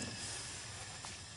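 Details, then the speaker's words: Dodge Nitro with misfire and low compression, leak-down test on cylinder two, engine off: steady thin hiss of escaping air with significant pressure loss; intake valves leaking, exhaust valve leak also found. "so now on number two and we can see we have a significant you know loss of pressure"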